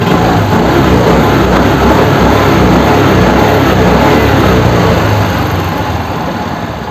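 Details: Suzuki Access 125 scooter: steady, even single-cylinder putter at fast idle with no knocks or rattles standing out; engine sounds healthy.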